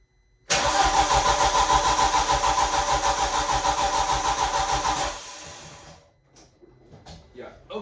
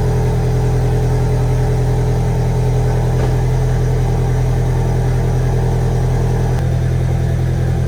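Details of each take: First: 1.8T cranking with coil packs and injectors unplugged to prime oil pressure: even, steady cranking for four seconds with no misses or knocks, sounding normal; it does not fire. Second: VW 1.8T engine first start after rebuild, turbo oil line unplugged: uneven, slightly stumbling idle with lumpy low beat over steady drone, sounds like misfiring.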